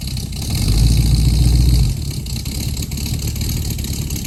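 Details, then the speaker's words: 1969 Mustang that sat 15 years, test drive after new exhaust and tips fitted: deep burble swells briefly then settles to a steady, even lope pulling away; runs pretty good, normal exhaust note. "it for a test drive, and runs pretty good, sounds good."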